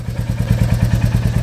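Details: Royal Enfield Reborn Classic 350 (J1 engine) idling at about 1050–1089 rpm by OBD after a cold start, not ridden: even thumping at about nine beats a second, steady and regular with no clatter; a healthy single idling normally.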